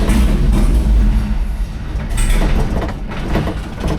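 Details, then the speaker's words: 1999 GMC Sierra with Escalade 6L engine, just swapped from automatic to a Nissan 350Z CD009 6-speed manual via Collins adapter: heavy, uneven low rumble that sags and surges, struggling to keep running, cause unclear. "It's just struggling."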